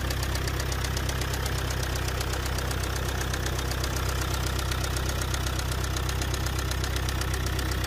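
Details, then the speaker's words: Car engine with four injectors: loud, very regular knock about four times a second over a rough idle with deep rumble, described as a strong bearing-like noise. It began suddenly with shaking on acceleration and worsened to tapping with a rear smell. Injectors tested fine; mechanic suspects overspeeding; unconfirmed. "شعرت ضجيج في المحرك ورجه قويه عند التسارع، تجاهلت الموضوع لبعض كيلومترات ثم تفاقمت الصوت تقطقه ورائحه كريهه من الخلف"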